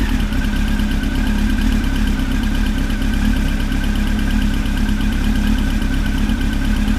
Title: Engine ticking noise (some research results)